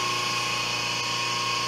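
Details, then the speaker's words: 5 HP inverter-rated three-phase idler motor on a 5 HP rotary phase converter, idling unloaded on the bench during an amp test, drawing about 7 A on one leg: smooth even hum with steady high whir, running efficiently and normally. "so uh this motor is quite efficient it's idling here very happy at uh we'll call it seven point uh it's still going down here"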